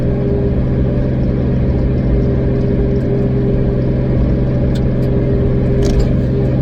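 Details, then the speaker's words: 2003 Nissan 350Z with 2JZ swap, fourth gear around 55 mph after a misfire fix: steady, even drone under light load with no stumbles or random misses; feels very smooth, owner thinks the problem is fixed; normal cruise. "it feels very smooth now there's a lot of responses on the way to the shop this morning but I think we fixed the problem"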